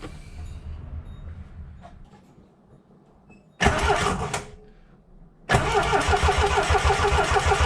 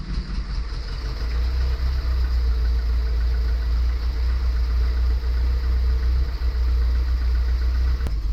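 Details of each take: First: 1977 Triumph TR7 cranking during a spark check: a short burst, then the starter churns steadily about three times a second and never catches. The distributor was gummy with pitted points. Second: 1977 Triumph TR7 fed from auxiliary tank via mechanical fuel pump, after easy-start attempt: catches quickly and settles into steady even idle without misses or knocks; viscous fan found broken and rattling.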